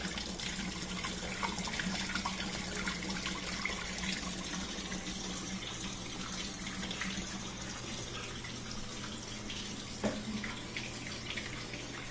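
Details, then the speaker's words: Portable dishwasher after clearing debris from the drain tube: steady low pump hum under rushing, gurgling water, then whirring of an empty sump; normal drain. "we can hear that whirring sound is is a empty sump that means the water has all been pushed out of the sump area down at the bottom and it's just spinning air so it did get rid of all the water and looks good"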